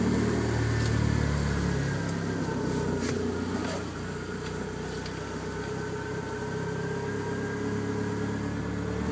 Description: Dsm misfire/lean idle and cruise